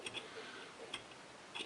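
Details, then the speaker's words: Polaris Scrambler 400 shock drilled and tapped M6x1 for refilling: sharp clicks and squelches at end of travel from trapped air in the shock before refilling with 5W30 oil. "So you can hear that air right there."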